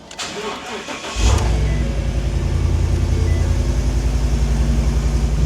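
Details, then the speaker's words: 2015 Ford F250 bought at salvage auction as a hurricane flood car, with no water in the oil, started on a new key programmed with Forscan: brief crank, then it catches and settles into a steady even idle; clean healthy start. "Yo, it's running, we got it. This thing is alive."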